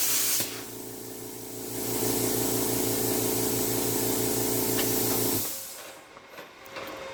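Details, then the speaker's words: Tork CAB-50 plasma cutter arc test after replacing the compressor capacitor that caused low air pressure: steady hissing arc with low even buzz for about five seconds, cutting off cleanly; normal plasma cutting arc. "Allumez l'arc parce que vous devez faire Testé dans la pratique, Exercice d'équipement lorsque vous Réparez-le."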